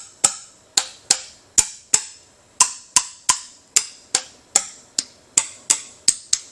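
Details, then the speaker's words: Old Ford Y-block V8 during teardown, internals plugged: hand-tapping valve springs gives clear pings but one lands flat and dead; that valve is stuck pretty bad, several others also dead. "And I started looking at the valves and the springs and the push rods and noticed that some of them are stuck pretty bad. You can kind of hear the ping in the spring in that one and some of these."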